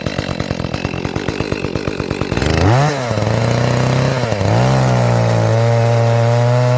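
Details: Echo CS-310 chainsaw after cracked purge bulb replacement, cutting cherry: uneven burble before cut, steady high buzz under load that never cleans up; high-speed mixture sounds a little rich, to be leaned out.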